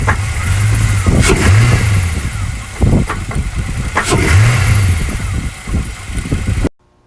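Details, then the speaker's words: 2000 Chevy Camaro Z28, LS1 V8, automatic, phone recording: two throttle blips, then sharp irregular knocks as revs fall to low idle. The owner doubted it was rod knock. "mainly listen for it you know after I let off the throttle and it goes down to the low rpms that's when you can really hear it"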